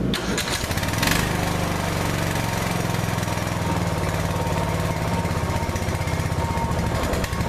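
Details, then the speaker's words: Older Briggs & Stratton 16hp OHV single-cylinder mower engine, started on choke after a valve clearance adjustment to cure noisy valves: a steady, even thump at fast governed speed with no misses or ticking. It runs smoothly and quietly. "runs great now I'm going to shut it up and I'm going to start it back up and show you how simple it turns over"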